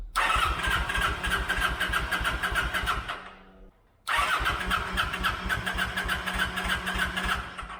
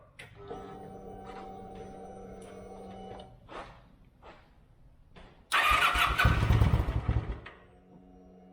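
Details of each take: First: 2008 Kawasaki Vulcan 900 Classic LT, first start attempt after 8 years, with a new battery and fresh fuel. The fuel pump primes a few seconds, then steady cranking at about 200 rpm with no firing at all. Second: 2008 Kawasaki Vulcan 900 Classic LT first start in 8 years, after new battery, fuel and new spark plugs: cranks, catches and settles into an even, throaty idle; normal start and idle.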